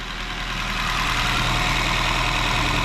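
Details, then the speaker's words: 2017 Honda Shuttle hybrid at warm idle, checked for valve clatter the owner reports on cold starts: smooth, even soft hum with no ticking or knocking. Runs normally hot; a cold listen is still pending. "Пока нормально работает, в принципе. Ага. Ничего такого лишнего не слышу."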